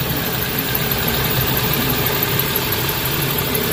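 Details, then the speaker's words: Hyundai Getz after replacing a cracked front engine mounting bracket rubber that caused strong vibration: even idle hum with a steady rhythm and no shaking thumps or rattles; running quietly and normally. "Tingan natin yung vibrate kung matatanggal na ba o ano basta na sige okay susi start Ayan medyo tahimik yung andar"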